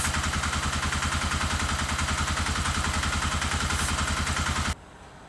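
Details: Custom dual sport motorcycle with a newly fitted replacement carburetor: the single thumps at idle with an uneven, loping pulse before cutting out. A carb cleaner spray test ruled out a vacuum leak; the cause is still unknown.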